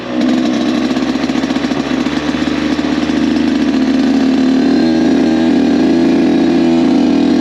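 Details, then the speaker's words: Rebuilt Kawasaki KX 85 two-stroke, maiden ride during break-in, shifting into third; steady, crisp buzz pulling smoothly and building evenly through the gears, no misses or knocks; running healthy. "It started up really easy, no weird vibrations or sounds. I'm actually surprised how quiet this bike is."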